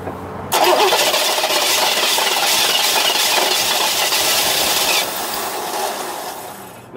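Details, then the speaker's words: 1989 Trans Am GTA, 41,000 miles, sat two years: steady starter cranking about five seconds then winds down without catching; fuel pressure only about 20-25 psi versus at least 55 needed, weak in-tank fuel pump causing crank no start. "try again could have been out of gas no no pressure fuel pump what is that like 30 uh no 20 25 25 what's it supposed to have"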